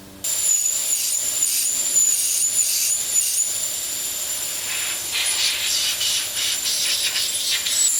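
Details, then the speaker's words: Forged SR20 turbo engine in a Nissan S14 drift car, boost leak test with PVC cap in the intake and compressor pressurizing: loud steady high airy hiss pulsing as pressure builds; major boost leaks in the intake piping. "as you control the heat that's at 2300 and we have mad boots leaks major one"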